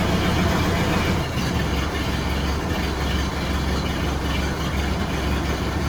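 Old four-cylinder petrol engine idling with a steady, even low chug and no dropped beats.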